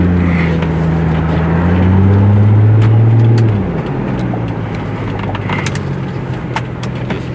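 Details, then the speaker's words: Plymouth Prowler V6 driving: clean rising hum under throttle easing into road and wind noise, no knocks or rattles; engine sounds pretty good. "engine sounds pretty good though"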